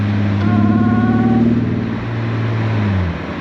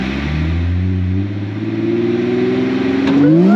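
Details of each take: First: Supercharged Mercedes SLK320 during a ride: something suddenly broke; uneven, lumpy exhaust beat that stumbles as revs drop, first thought a broken-off exhaust; misfiring on one cylinder from a loose plug lead. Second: Supercharged Mercedes SLK320 on a test drive after fitting a new coil wire and plugs, which cured a previous misfire. Engine note climbs cleanly and settles into a smooth cruise with no stumble; normal acceleration, fixed.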